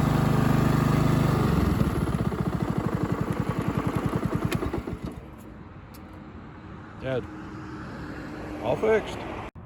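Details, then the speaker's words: Honda HRX217 mower with a GCV190 engine, after replacing an intermittent kill switch that sometimes failed to stop it; blades disengaged. Pressing the plunger brings the single cylinder down to a clean, even shutdown. The kill switch now works normally. "I'm reaching over with my finger pushing on the plunger here it killing the"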